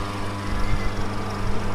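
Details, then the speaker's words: Hatari HT7631 stand fan, reassembled after thermal fuse repair, tested upright on a wooden table: loud steady low hum from the table resonating; quiet when lying down or on the floor; rotor end play adjusted. "ปรากฏว่ามีเสียงดังนะครับตะกี้เรานอนอยู่เสียงไม่ดังครับพอเราตั้งขึ้นจะเกิดเสียงดังทันทีครับ"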